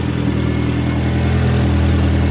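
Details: MK4 VW GTI after camshaft sensor work and a new fuel pump: smooth, even low idle with a steady beat and no stumble or ticking; normal idle.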